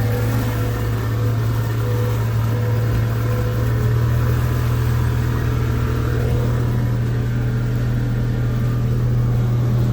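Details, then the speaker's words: Mercury outboard test run: deep steady drone at light throttle, no stumbling or surging; runs smoothly. "back at it again maybe uh 30 seconds into it going let it run for a little while see if I can't get it to uh do the same thing again"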